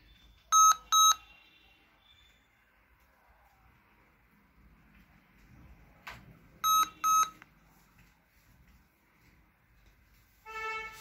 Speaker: in idea pad Series 2 B you can hear continuously continuously to be okay why this two weep we know it's a post error but display is okay